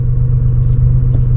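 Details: Gen 1 Toyota Tacoma 3.4L V6 (5VZ-FE), the day after replacing the idle air control valve to cure surging and stalling: steady low rumble with even pulses and no hunting. Idle now rock steady.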